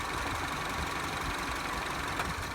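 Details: Citroen C4 idling evenly with a consistent low rumble and no stumbling, hunting or misfire, after resetting the circuit breaker above the battery cured a no-start; engine running normally.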